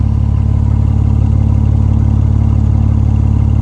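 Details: BMW E46 after DIY exhaust leak repair near resonator with muffler cement and foil tape, run to operating temperature: steady even idle pulse, no puffing, ticking or hiss; leak sealed, exhaust sounds healthy.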